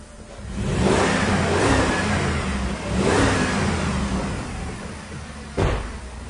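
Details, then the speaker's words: 2007 Jeep Commander, heard from the rear of the vehicle: uneven idle and a few sharp throttle blips with a ragged, stumbling exhaust note. Misfire from a blown head gasket, though no typical compression drop was heard while cranking. "yeah we got a problem all right well this this car clearly has a blown head gasket but what was weird is if you noticed I didn't hear the typical drop in compression in the cylinder during that cranking"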